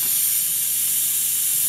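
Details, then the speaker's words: Rolair JC10 air compressor, 95 psi on / 125 psi off, after new pressure switch and unloader solenoid: with motor stopped, a steady high-pitched hiss of escaping air continues; owner suspects the check valve is leaking. "so you hear that his sound after the motor stopped I think this air is leaking here"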